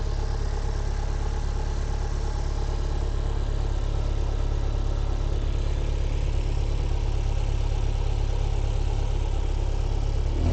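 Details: MG TF 115 with Rover K-series 1.6 L petrol engine at idle before an oil change and engine flush: smooth, unbroken low hum with no knocks or misses; healthy.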